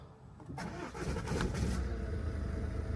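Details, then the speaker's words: Car started by a mobile mechanic after repair work, with a new accessory belt fitted and the fuel pump heard priming: it cranks briefly, splutters a little, then settles into a steady low idle. No battery light; normal engine start. "Little bit of a splutter, but we're running. No battery light."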